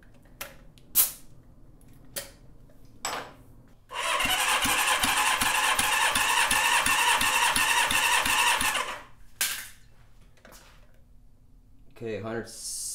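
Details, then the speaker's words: Rebuilt Honda CB550 engine, not broken in, on the bench, oil squirted into the dry cylinders: steady cranking with even, equally strong pulses; cylinders read 160-165 PSI, healthy compression. "All right, this was the worst cylinder and we're at 160. So that's awesome. Huge improvement there."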